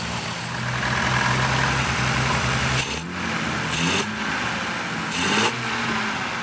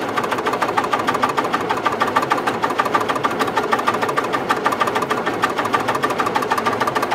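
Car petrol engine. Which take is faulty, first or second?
second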